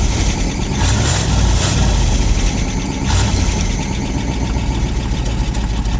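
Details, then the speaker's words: Long-stored truck, fresh gas, working fuel pump, carburetor possibly clogged, microphone near the exhaust: deep steady rumble at an even idle with no stumbling, running on its own from the tank; normal idle. "holy guys it is idling on its own that's awesome"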